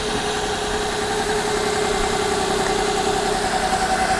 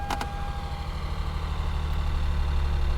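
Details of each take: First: Copart salvage car with an inoperative odometer and dash warning lights (ABS, service engine) apparently disabled, idling: steady, under background hiss, with no knock or stumble. It is a runner, and the radiator holds coolant. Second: Copart salvage car with mismatched aftermarket wheels, just started and idling: loose, irregular ticking and a couple of sharp chirps early on. The odd noises are unidentified, but it runs with no check engine light and the AC compressor engages.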